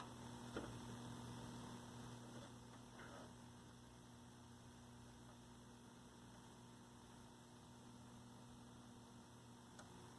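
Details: 1965 Zenith 19-inch black-and-white TV, 14M28Z chassis, after fixing a bad tube socket: quiet, steady low buzz of the vertical output with no crackle or arcing; vertical sweep running normally, hot resistor smell gone.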